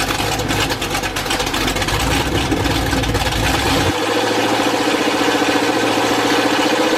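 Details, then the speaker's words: Chevy 350 V8 after flat tappet cam break-in, mufflers removed afterwards: loud open-exhaust lope rising to a steadier higher-speed rumble near four seconds, running even with no ticking or knocks; normal idle and revving. "I did the break-in with the mufflers on, but once I got it broke in, I took the mufflers off, and I'll fire the thing up and let you hear it just a little bit at the end of this video, just so you can see what the end result was."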